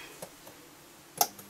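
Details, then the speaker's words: JBL EON 200/300/500 series powered speaker: sharp, irregular snaps and ticks, a few per second, as an inductor with no voltage rating arcs and breaks down in its windings; faulty coil to be replaced. "But it's breaking down in the windings because there's no voltage rating on this coil. Yeah, anyway, so that coil's fucked."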